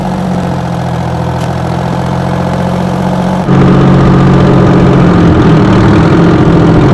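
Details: 60-year-old Massey Ferguson 98 tractor with factory Detroit Diesel GM 3-71 two-stroke engine, after significant restoration: steady, even two-stroke drone with a smooth beat rising a little partway through, runs cleanly, normal running.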